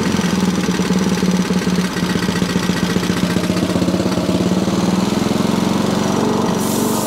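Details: Sovereign lawnmower single-cylinder engine, governor spring out of place, still not revving high after carb cleaning; rapid even putter at low unchanging pitch that never climbs, under-revving.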